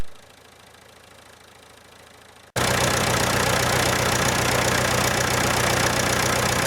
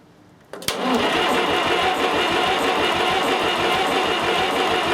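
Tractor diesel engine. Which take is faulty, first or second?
second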